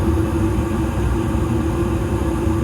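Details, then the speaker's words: Evcon gas furnace, installed 2020, at startup after the inducer, igniter and gas valve, before the blower starts: steady low roar with an even hum, no popping or surging; normal burner operation. "as you can hear the burners are on right now"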